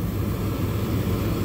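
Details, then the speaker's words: Walk-in freezer condensing unit just powered up via the defrost controller, one condenser fan running while refrigerant is being added; second fan waits for about 250 psi head pressure: steady low hum and fan rush, no rattles or surging. Normal running. "all right here we go and we just turned on and one condenser fan motor turned on that's good so i'm going to go ahead and add refrigerant"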